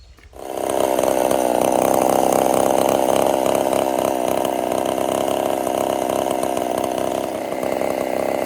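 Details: Husqvarna 50 Partner 5000 hybrid race chainsaw, first cuts after rebuild with a machined piston taper, bar too short for the large log: strong, steady high-pitched note holding speed under load, no bogging; running healthy.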